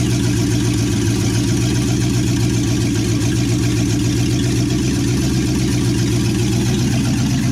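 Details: 1963 Chevy C10 355ci small block (350 .030 over), reportedly low miles, long-stored, second-ever start; temp gauge not reading: loud, deep idle burble with open exhaust, even firing pulses, no misses or knocks. Normal idle.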